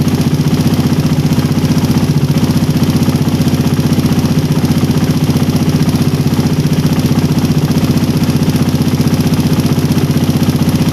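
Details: Engine with a PE28 carburettor (swapped in for a PWK 28) at idle, air screw set by the idle method to 2.5 turns out: a smooth, steady beat near four pulses a second with no misses, so the mixture is well set.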